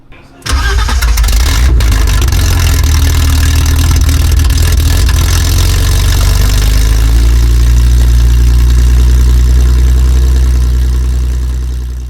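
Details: BMW E30 project engine start, after installing O2 sensor and X-pipe and adding fuel: cranks and catches at once, then settles into a deep, even idle without misses. It runs, with a small fuel leak noted.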